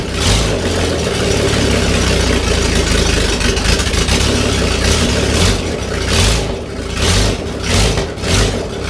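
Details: OMC 4.3L V6 that cranked slowly; a starter fault was suspected but the cause was a ~6V drop across the jumper cable, leaving the starter only ~5.8V. After the cranking battery was charged it fired; deep, even rumble with steady firing and slight throttle wander. Normal running.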